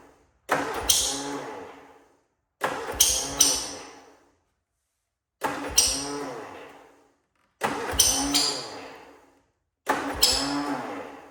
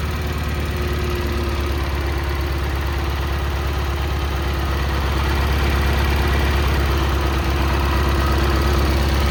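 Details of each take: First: Cub Cadet Cyclops with a twin-cylinder Kohler 18, smoking, oil just changed to 10W40, cold start: five short bursts that catch, stumble and die; not firing on both cylinders, blown head gasket suspected, owner also suspects muffler, coil or plug. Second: Cub Cadet Cyclops garden tractor Kohler 18 twin after repair of a badly blown head gasket (head replaced), started via M18 battery pack wired to the starter: smooth, even idle with steady low thump, no misses or knocks; running healthy.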